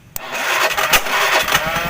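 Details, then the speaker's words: Carbureted Honda Beat scooter with ignition on, starter motor powered directly through its two heavy cables: it spins up briskly with an even, fast whirr and steady cranking pulses. The starter itself is normal; the no-crank fault lies elsewhere (the CDI). "untuk staternya enteng berhati-hati nya masih normal nggak ada masalah"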